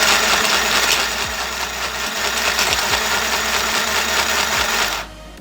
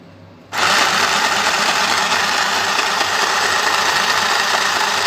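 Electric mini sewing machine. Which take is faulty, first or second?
first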